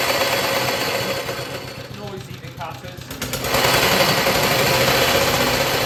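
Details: BSA/Villiers 119cc sloper single-cylinder two-stroke with centrifugal clutch, after carburettor/engine service, first start: rapid even putter about four beats a second, dip then steady pickup, breather sound, heavy flywheel; healthy idle.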